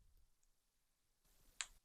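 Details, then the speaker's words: Nintendo 3DS LL in poor condition on power-up: near silence, blue light, then a single faint sharp pop and shutdown with both screens blank; cause uncertain, top screen or its ribbon cable suspected. "so I don't know if you can hear but it's making a popping sound"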